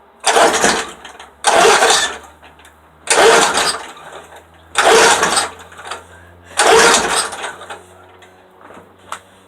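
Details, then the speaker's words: Lawnmower cold start with gas in the tank; five pull-start bursts about every second and a half, each spinning briefly and dying without catching, cranks but won't start, cause unknown. "I don't know if we'll start but then you're cranking you can hear it have gas in it I don't know what's wrong with it"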